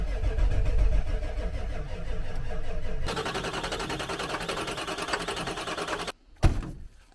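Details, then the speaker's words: Diesel truck that died right after purchase, no electric lift pump, sludge in the fuel bowl: about three seconds of steady starter cranking with no catch; the bowl stays empty, a clog in the fuel system is suspected. "this truck doesn't have an electric lift pump so to Prime the fuel bowl you have to crank it no fuel in the bowl we've got a clog in the system somewhere"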